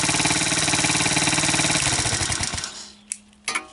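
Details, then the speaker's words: Chinese ATV with no spark and a trashed wiring harness, now running on a swapped-in pit bike CDI ignition using the original stator and pulse generator: the small single thumps at a quick, fairly even beat, then shuts off cleanly. Normal running. "so as you can hear it's running on the hit bike ignition system so that's the pit bike CDI the whole ignition system"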